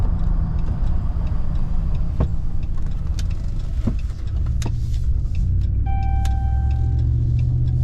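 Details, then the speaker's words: 2009 Ram 1500 Hemi 2WD driving at road speed, windows up, cool 57°F morning: low continuous droning growl rising and falling with speed, worse when cold; front wheel bearing grinding, fixed by hub assembly replacement. "So that's what I heard this morning, man. And it was way worse. That bearing was really cold this morning."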